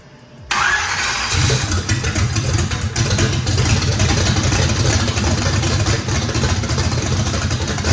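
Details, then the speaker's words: First start of a race V8 with a radical camshaft, after battery recharge: starter whir, then catches and settles into a heavy, lumpy, rhythmic lope needing a lot of throttle; normal lopey idle, likely from big overlap. "fire in the hole sounds good uh this motor i think has the overlap and the the the valve lobe separation on it makes that thing uh had to put a lot of throttle in it"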